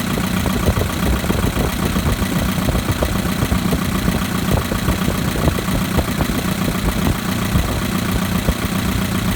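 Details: 2011 Chevrolet Equinox LT 2.4L, 132,000 miles: steady idle with a fast, light ticking riding over the engine hum, source not clear by ear; ticking at idle.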